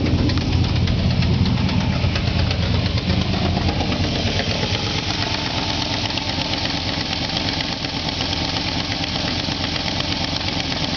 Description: Some engine noise i got when turning on my truck after class.